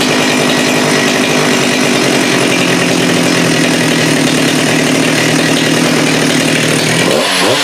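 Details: Husqvarna 394 chainsaw with HyWay Titanikel 58mm big bore pop-up cylinder (395 project), fitted with aftermarket carb replacing OEM, cold day, no load; high steady two-stroke scream at full throttle, about 12,100 rpm versus 10,500-10,900 before, then drops off: healthy high-rpm running.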